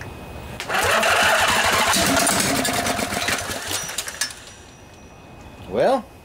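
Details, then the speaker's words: Long-sitting junkyard Briggs & Stratton Intek OHV twin (20-22 hp, model 40777), on a truck battery with 50 amp charger, starting fluid sprayed in each side: slow, uneven cranking chuffs with brief catches that never settle; cranks but fails to start, though it wanted to. "that's a good sign it wanted to start a little more starting fluid in here see what happens"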